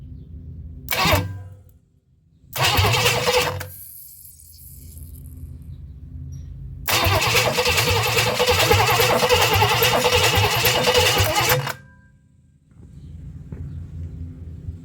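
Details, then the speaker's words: 1958 Chevrolet Bel Air with a rebuilt engine, plugs out then refitted and cylinders oiled: repeated bursts of even starter cranking at about three compression pulses a second, turning freely with no binding; normal cranking. "That sounds all right. Okay, good enough for me."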